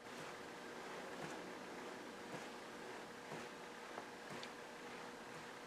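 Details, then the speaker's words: Record Power Small Projects two-bearing lathe mandrel saver hand-spun quietly, only soft finger flicks about once a second and no bearing rattle, unlike a cheaper one-bearing unit that rattles. "Other than the sound of my finger spinning, it doesn't make any noise whatsoever."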